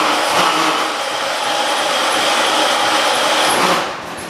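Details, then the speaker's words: John Deere 216 lawn tractor with rebuilt engine and transmission, first start of the day at 50°F, owner thinks the carburetor needs adjusting: a steady, even roar settling lower near the end, with no knocks, misses or surging; normal running. "motor was rebuilt everything was rebuilt on it transmission is rebuilt and it runs pretty freakin good"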